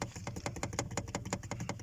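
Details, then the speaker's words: Lada Kalina, fuse panel at the end of the dash: fast, light plasticky tapping, about eight knocks a second, from the loose fuse box cover rattling; shimming or bending the cover may cure mysterious knocks. "вот этот звук вот владельцы Калин Вы можете сделать свою ну скажем автомобиль с натяжкой лучше если сюда что-нибудь подложится либо подогнете здесь просто возможно ваши стуки все это"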